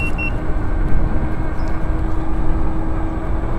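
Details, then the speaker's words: Sherman electric unicycle on a full-range ride at about 15 percent battery under load, around 77-78 volts and 35 km/h: two quick high beeps over wind and road rumble, a low-battery warning, likely load-related. "it's 15 percent battery under load then you start getting some low battery beeps okay onward and upward"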